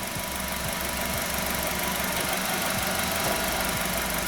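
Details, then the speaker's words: 2013 Nissan Qashqai 1.6, JF015 CVT, about 90,000 km, after repair of CVT noise, selector in park/neutral: even idle with faint steady hum, no whine, clunk or rattle; original noise gone, normal idle. "но того звука который был изначально его нет и посторонних шумов тоже никаких не так на нейтрали никакого звука нет"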